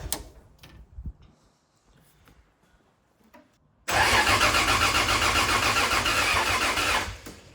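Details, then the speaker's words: 2JZ-engined KE70 Corolla drift car, with combustion visible from the dump pipe: a few quiet clicks, then the engine catches and runs strong and steady with even firing; normal start. "All right, that sounds better. I can see ignition coming out of the, or combustion I should say, coming out of the dump pipe now, so that's a good start, which was odd."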